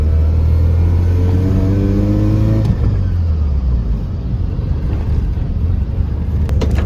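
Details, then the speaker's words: Mazda RX7 FC3S on a test drive after fender rolling: a low droning growl from the rear at full steering lock, steady with road speed, from the differential; no tyre rub at full lock. "Hear that? That's my diff. Full lock, no rub."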